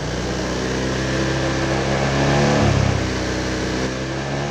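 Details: Honda Vario Techno 125 scooter after repairing a total electrical failure (no lights, no starter): smooth rev that rises and drops cleanly back to an even, steady idle with no misfire or rattle; runs healthy.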